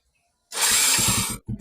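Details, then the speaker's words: Motorcycle after replacing the faulty part with a brand-new one: short starter whir, then the engine catches almost at once on one click; earlier it took a long time to start because of weak current. "So kanina Ang tagal siya magar tagal siyang hindi siya isang click So ngayon Subukan natin kung isang click ba yung andar"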